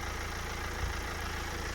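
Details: Stolen BMW E91 318d Touring diesel, recorded with bonnet open after months sitting: even, steady low idle with no ticking or rattle, no sign of the timing chain problem; normal diesel idle.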